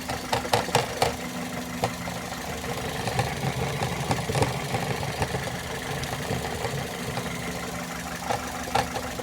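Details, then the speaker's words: Car engine cover broken at its mounting base and loose, missing bolt: light irregular tinny ticks and rattles over soft steady idle; loose engine cover rattle, fix is replacing cover bolt. "eu fui agora bisbilhotar me encontrei isso aqui ó ó eu acho que vai dar para fazer ouvir a tampa ela tá quebrada aqui na base ela faz esse barulho"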